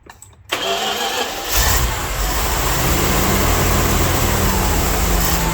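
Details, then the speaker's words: Dodge W300 Club Cab, smoking heavily, won't hold steady throttle below 2,000–2,500 rpm: catches after a short crank, then a lumpy, irregular idle with several cylinders not firing. Bad vacuum leak suspected but not found. "It's acting like it's got a really bad vacuum leak, but I can't find it. It won't hold steady state throttle below 2,000, 2,500 RPM."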